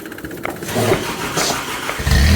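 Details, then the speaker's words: 1985 Toyota Tercel wagon starting after the backwards-installed fuel pump was re-fitted the right way round, with the pedal bumped a few times first. Uneven cranking churn, then it catches about two seconds in and settles into a firm, steady run. "Hey! It's alive! We did a thing! Well, that's a little embarrassing for us, but, you know, sometimes you can rebuild an engine, rebuild the transmission, and you can't put a fuel pump in the right way."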